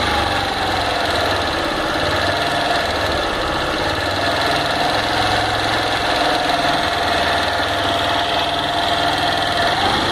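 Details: Honda Fan 160 single-cylinder idling: busy, slightly clattery tapping over the exhaust beat; abnormal engine noise, cause undetermined.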